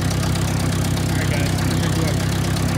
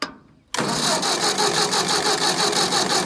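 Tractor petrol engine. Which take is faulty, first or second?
second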